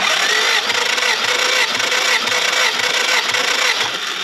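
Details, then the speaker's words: Willys L-134 engine in a Jeep FC-150 frame cranking fast, light and even with no labouring beats, spinning too freely. A compression test reads the same on all four cylinders, and the engine has no compression. "this could be a problem now my goal for the end of this video was to drive this thing the motor not having compression is a bit of an issue"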